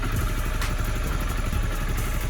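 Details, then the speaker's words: Honda CBR 250R idling on its side after an oil change, checking for leaks underneath: steady even low putter with light top-end chatter, no misses or knocks; normal healthy idle, no leaks. "Got the bike started, now we're just checking for leaks. So far we're good underneath here."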